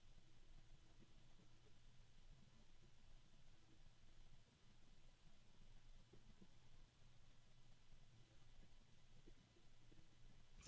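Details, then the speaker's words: Arctic Liquid Freezer II 360 AIO radiator fans slowed to minimum speed: very quiet steady low hum with a second mid-pitched tone; harmonic resonance with two tones, low and medium. "And at this point, there is a harmonic resonance. And there are actually two different tones, a low one and a medium one."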